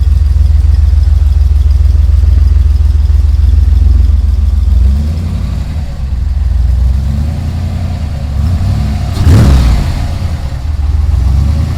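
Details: Ford Ranger rock crawler "The Mutt" first start after build, new Magnaflow exhaust with dump, revved: deep, steady note that picks up evenly and settles back, no knocks or misses; fires right up, runs and sounds good.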